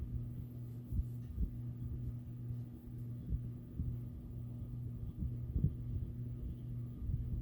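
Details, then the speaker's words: 52" NuTone Hacienda ceiling fan at low speed; steady low hum with an even buzz underneath, hummier than its twin, cause not evident. "but this one is a bit more Hummy than the other one"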